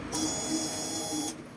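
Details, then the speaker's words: 2019 Honda Scoopy i with a no-start, test fuel pump plugged in, key on to prime: steady high-pitched electric buzz for about a second then stops, good pressure; normal pump operation, the old fuel pump was confirmed as the cause. "ครับผมเราก็ใส่ปลั๊ติ๊กของตัวทดลองเรียบร้อยแล้วก็มาเปิดกุญแจไล่ลมนะครับไล่น้ำมันครับตัวนี้แรงดันดีมากนะ"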